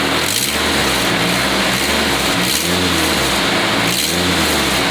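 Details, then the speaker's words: Car after exhaust manifold gasket replacement: engine blips up and falls back cleanly, only a faint hiss left on the rev, expected to disappear when hot; manifold now sealing. "Okay, it's not as bad now. You still hear it, but the good thing about it, when it gets real hot, you're not going to hear that sound anymore."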